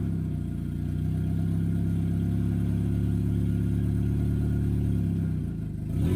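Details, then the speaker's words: CA18DET-swapped Miata after adding coolant and capping a brake booster vacuum leak: deep, even engine note holding steady, no misses or rattles, then slight rev; a little smoke burning off; runs healthy. "so we've actually got harder for the first time and it sounds sounds healthy sounds right little bit of smoke coming off over there but that's fine that's just burning off all the stuff"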